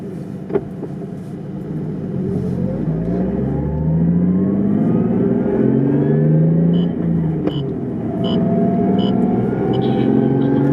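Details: Daily-driven drift car with a built Toyota R154 manual, driving: engine revs climb with a steady gear hum tied to road speed.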